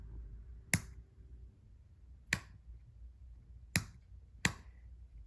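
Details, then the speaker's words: 1995 Honda Shadow VLX 600 VT600CD, start button held during electrical testing: four sharp uneven clicks with no cranking; starter relay chatters from intermittent contact, suspected dirty engine start/stop switch needing cleaning. "the actual problem i can't even get it to go now is in the engine start stop switch that's why every so often i would get a jump because it might have been complete in the circuit"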